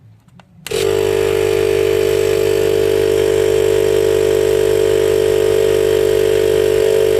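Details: DIY 12V 40-litre air compressor built from recycled parts, with a large permanent-magnet motor drawing about 30 A: it kicks in and drones loudly and evenly while pumping toward 100 psi, with no labouring.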